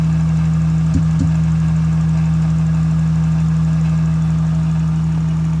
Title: Is this a misfire. Listen closely , it’s a noise that comes and goes,